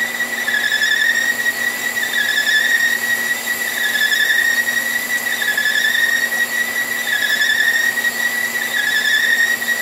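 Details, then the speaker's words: Staggered-tooth wheel cutter, resharpened with radiused corners, cutting keyways in marine shafting under power feed; steady high squeal rising and falling every 1.5 s, pitch difference possibly from arbor runout of a couple thousandths, even load per tooth, glossy keyway bottom: a normal cut. "as far as the pitch difference you hear but in between that you can hear get in here pretty much all load on each each tooth"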